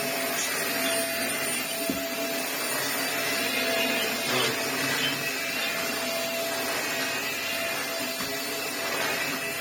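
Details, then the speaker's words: Vax Air Stretch bagless upright corded vacuum, after servicing: steady even motor and brush hum with slight whine, no knocking or scraping; running normally. "Oh yeah, that's fine. Little whiny noise, but nothing. You can ram it into the that works really well. Vax Airs always do work really well, to be fair."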